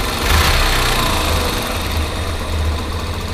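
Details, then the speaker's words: Yamaha Factor 125 single-cylinder motorcycle idling after valve rocker (balancim) adjustment: steady low thump with no valve-train ticking, a normal smooth idle. "Mostrar agora o barulho da moto aí, finalizado aí, com os balancinhos regulados."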